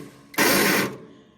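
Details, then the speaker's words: Farmall 140 tractor, starter locked up previously and flywheel has a few bad spots; on cranking a harsh half-second whirr then dies away as the starter Bendix drive spring sticks. "The flywheel's got a couple of bad, not real bad places in it, but today when you crank it up, that Bendix is sticking. You can hear the spring stick."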